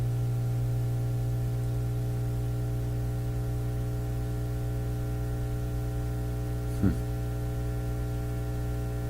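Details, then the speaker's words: Nordmende Elektra F13 tube radio just switched on and warming up, with positive voltage developing on the output tube grid: steady low hum with a buzzy edge and one brief crackle. Technician suspects the power supply; unconfirmed. "sounds like a power supply on it it's changing that could be defective too"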